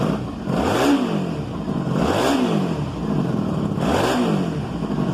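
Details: 1995 Honda Magna 750 restarted warm without choke after a carb rebuild and new plugs replacing fouled ones: three crisp throttle blips that settle to a smooth idle. It runs healthy, with a slight exhaust leak noted.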